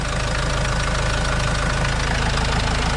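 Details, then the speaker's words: Vauxhall Vivaro diesel van, first start after an overdue service with new oil and filters: steady diesel idle with even regular clatter about three beats a second, no odd knocks, no leaks; normal idle. "sounds nice enough for a dirty old diesel yeah sounds good"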